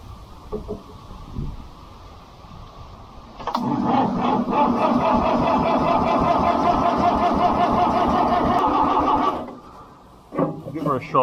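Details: International B414 four-cylinder diesel tractor left seized by a pond for 20 years: starter turns it over evenly at about three and a half compression beats a second for six seconds, but it never catches; ether next.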